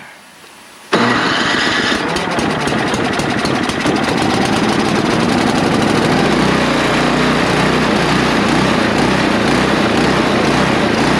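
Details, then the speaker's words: Neglected snow blower, only fluid poured down the carburetor throat and spark plug cleaned: it fires up, then engine speed hunts up and down instead of settling. Surging idle. "well she runs that's a beautiful thing but uh she's searching like a bloodhound so i gotta get that call obviously"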